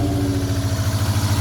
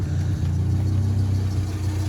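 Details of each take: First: 1987 Sierra Cosworth first start after three years stored: uneven idle with a lumpy pulse about twelve times a second; cylinder number 4 still not firing after switching and cleaning plugs. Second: 1987 Ford Sierra Cosworth after three years stored, once cylinder 4 came back: smooth, even low idle with a steady beat and no tapping or ticking; normal idle, minor oil leak burning off the block.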